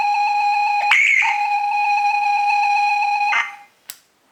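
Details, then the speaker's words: ZX Spectrum game cassette played on car stereo powered by car battery, via speaker output: steady high whistle with buzzy edge wavers, breaks up and drops out; poor playback, owner suspects dirty or misaligned heads. "Doesn't sound very good, does it? So we're not far off."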